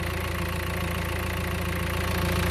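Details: 2016 Mercedes A-Class after clutch replacement (noise at idle with the clutch pressed; flywheel found still good, leaking master cylinder replaced): even, steady idle with a smooth low pulse and no knock, rattle or chatter.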